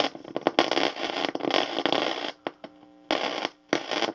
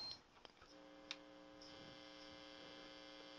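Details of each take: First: Lafayette guitar tube amplifier, still dusty, on an isolation transformer and variac brought up to 120 V. Irregular crackle and hiss with brief dropouts over hum as the knob turns. The volume control pot has dried out and is very scratchy but still functions. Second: Lafayette guitar amplifier after restoration, with the electrolytic capacitors in its voltage-doubler power supply replaced. Only a faint steady mains hum as the controls turn, with no crackle or scratching at all. The pots are now clean and the amp is quiet.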